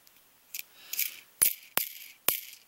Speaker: if you can hear that it rattles like crazy and i can actually move the entire thing just like that and it wobbles back and forth